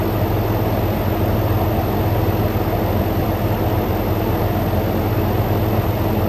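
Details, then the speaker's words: Frigidaire Gallery GHWQ103WC1 10,000 BTU dual inverter air conditioner, revived after being discarded, ambient 66°F, outlet air about 54°F: steady low hum as compressor ramps up under smooth fan air rush alongside condenser fan; healthy normal running. "should hear the compressor start ramping up here along with the cond that's your fan"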